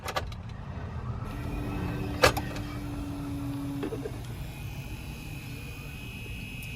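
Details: Impala 9C1 blend door actuator from a junkyard car, test-fitted to cure the popping/clicking, whirs steadily for a few seconds over a low cabin rumble with no popping or clicking; it now moves without popping.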